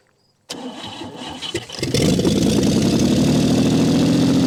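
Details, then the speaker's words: 1959 Chevy Biscayne that sat years in a salvage yard, first run after cleaning the points, carburetor leaking from the bottom; fast busy idle well above normal after catching; idle speed set too high, idle screw needs adjusting. "sounds pretty good the idle is way too high we need to adjust that nonetheless though she does run"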